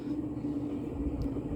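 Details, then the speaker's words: Mid-1980s Montgomery Ward Evergo 48" spinner ceiling fan, model 4E-3LW, on original solid-state control at medium-high speed: steady low hum with rough grainy rumble, more bearing noise than motor noise; owner suspects long 24/7 past use. "i take back what i said about having a motor noise that actually the motor isn't that loud it's more bearing noise than motor noise"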